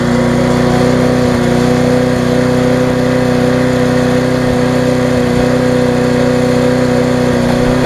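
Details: Viking (Stihl) mulching mower, Briggs engine with refurbished classic carb, after repair: steady, even single-cylinder drone while cutting grass, no hunting or misfire, running well, slightly fast.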